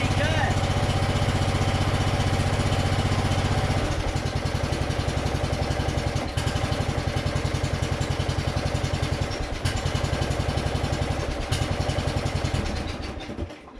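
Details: Toro 14.38Z zero-turn mower after an ignition fix, on choke: small single thumps about 220 a minute, uneven and sagging toward a stall, idle won't hold; owner suspects the throttle control closes too far rather than the carburetor.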